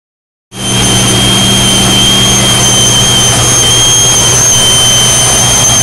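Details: 2001 Jeep Cherokee: a loud, steady, tea-kettle-like high-pitched whistle over the engine hum, thought to come from the right side of the engine. Cleaning the idle air control valve did not cure it.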